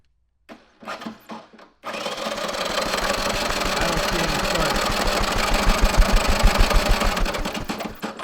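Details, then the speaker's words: 1983 Honda ATC 200E 200cc three-wheeler, new battery: steady starter cranking about three compression strokes a second, never fires; no spark at plug or screwdriver in plug wire, so not the plug; CDI or coil suspected, stray ground wire shorting ignition. "we took the plug out and cranked it over no spark from the spark plug we took the plug off of the plug wire stuck a screwdriver in it still no spark so it's not the spark plug"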